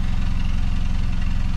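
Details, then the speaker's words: 2018 Hyundai Creta petrol with power loss on acceleration and high misfire counts, mostly on cylinder 4: idles evenly with a steady low pulse and no audible skips; the misfire may be intermittent. "I'm not hearing anything so it definitely doesn't sound like a misfire but it could be an intermittent misfire"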